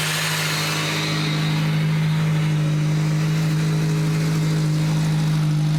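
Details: SVT Focus Mk1 with newly installed CPT cold air intake, revving in neutral. Strong steady note rising and holding, loud intake suction on top, smooth with no knocks; normal revving, engine healthy.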